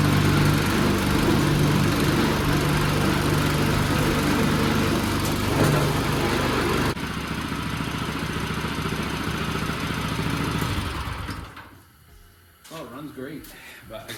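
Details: Newly swapped Predator 212 engine on a 40-year-old Bolens snowblower, first run after the swap with new pulleys: quick, even putter at steady speed, no surging or misses, then winds down, running healthy; something is slipping in the drive underneath.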